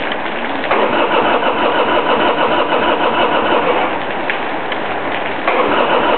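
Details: 1999 Harley-Davidson Sportster XL after sitting idle for a couple of months: long cranking, catching and faltering unevenly before settling into a rough run. Hard starting.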